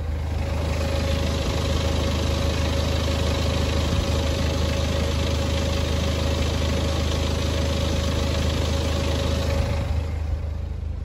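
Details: BMW 320d E90 N47 diesel, 135 kW, 2011, nearing timing chain service: steady idle with an even low clatter and no rattle; rattling from the engine's rear appears at 2000 rpm, signalling chain wear.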